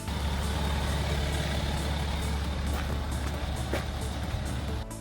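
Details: BMW N57 diesel, the healthy reference sound for timing chain replacement: steady, even idle with a smooth low drone and no chain rattle or slapping; faint music underneath.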